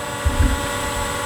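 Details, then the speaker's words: WL Toys XK X1S GPS drone on auto takeoff after an earlier unlock where one motor sounded wrong; now even steady whir from all motors with wind puffs, no off note, healthy motor hum. "it fires up the motors auto take off well it sounds okay now"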